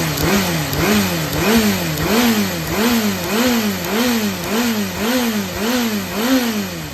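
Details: Yamaha XJR400 (4HM early model) inline-four engine assembly, high compression measured, no abnormal noise or white smoke: repeated blips about once a second, revs rising and falling cleanly, no knocks; healthy.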